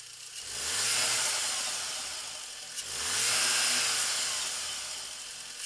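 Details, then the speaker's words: Volkswagen Golf R, standard apart from resonator delete, with Turbosmart VR1 recirculation valve fitted one week, stationary: two quick revs, each followed by soft airy whoosh and light flutter on throttle close; normal recirc valve flutter, not turbo. "I can hear a little bit of flutter, and it's the recirc valve fluttering and not the turbo, by the way."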